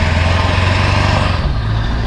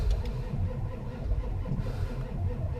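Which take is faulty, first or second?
second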